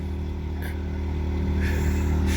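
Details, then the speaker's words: New Predator 2000 inverter generator at a truck stop, running all night from 8 pm past 7 am powering a CPAP and a noise machine: a low, even, quiet drone with no knocks or surging; normal running under load, a constant noise that drowned out the truckers. "i was able to run my cpap the wife was able to run a noise machine plus it was a nice uh constant noise so it was droughted out all the truckers"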